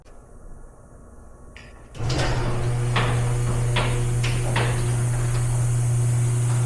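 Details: Garage door after replacing worn rollers with new ones: steady low motor hum running evenly with only a few light clicks as the door travels, no rattle or grinding; healthy.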